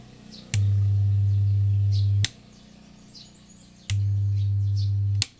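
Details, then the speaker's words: Old-model active speaker without Bluetooth, powered with no input before repair: loud, steady low hum in long on-off blocks while the speaker cone is pulled backward. "tekan tombol power Nah jadi seperti itu teman ya jadi dengung dan Speakernya itu e ketarik mundur ya"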